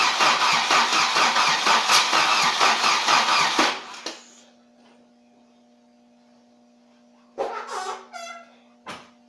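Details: 740 no-start: starter cranks about two turns a second for nearly four seconds, then stops without the engine catching.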